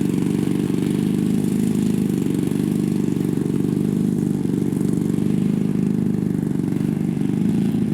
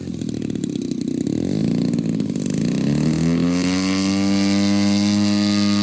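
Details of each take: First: Top Flite Giant P-40 RC plane with a BLE 55 rear-exhaust engine, maiden flight in cool air: steady high buzz at full throttle, slightly soft and blubbery on top, then a drop; high-end needle still a little rich. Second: Top Flite giant P-40 RC plane, BLE 55 rear-exhaust engine, maiden flight, high end still slightly rich: note climbs from rough drone to clean steady buzz at half throttle, pulling evenly without misses; normal running.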